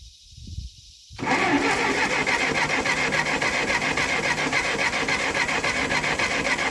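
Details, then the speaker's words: Ferguson TO20 tractor sat 3–5 years, carburetor reworked, now checking electrics, unchoked: steady rasping crank about three and a half turns per second with no pops, never fires; spark to be verified, cause not confirmed. "go all right didn't even have a pop so I'm going to try to choke it and then I'm going to try to start it all onehanded"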